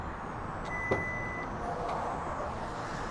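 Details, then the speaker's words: 2024–2026 Lexus GX 550 power back door closed by press-and-hold on the key fob: a single clear high beep with a latch click as the tailgate starts moving; normal operation, and the door does not lock automatically. "once you hear the beeps you can go ahead and let go of the button and the power back door will close"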